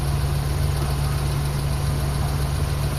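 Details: Suzuki F6A engine (4x4) idling after replacing a broken head gasket that had caused misfiring and no-start: low, even hum with no misses, taps or wobble; smooth, steady idle.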